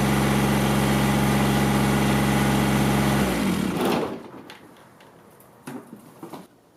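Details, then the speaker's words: Kubota GR2110 diesel mower after topping up a long-low hardened hydraulic gearbox: steady even drone with strong whirring shaft-driven deck note, likened to a helicopter about to take off, then shutdown; normal running with mower deck engaged, hydraulic deck lift working. "um and the mowing deck shaft driven you can hear it it sounds like it's like it's a helicopter about to take off"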